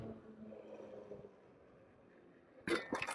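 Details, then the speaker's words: HAOQI Antelope Pro 750W ebike, front suspension only, ridden off-road: low motor hum then sharp metallic clattering as loose metal fenders rattle over a curb bump. "so yeah so you hear the rattling that's the one downside to the metal fenders is you get a lot of rattle with them while you're riding"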